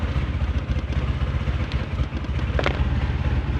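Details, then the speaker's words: Honda Civic ESi that had suddenly died, now restarted after the ignition supply and relay were restored; steady, even low engine rumble with no misses or knocks, running normally. "Guys, umandar na."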